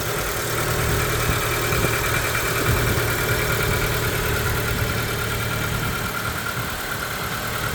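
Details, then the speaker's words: 1994 Proton Saga 1.3 GL with a Mitsubishi 12-valve Magma engine, started up; steady, even idle with a smooth low hum and no knocks, ticks or misses, healthy normal idle. "so let's start it up and you can hear that engine take over oh"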